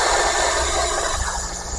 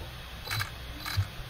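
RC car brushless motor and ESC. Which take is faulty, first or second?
second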